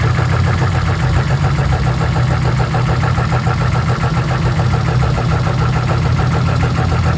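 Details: Drift car in the pits at the track after replacing ignition coils following a coil wiring failure: steady, even idle with a deep low rumble and no misses or knocks; engine running smoothly.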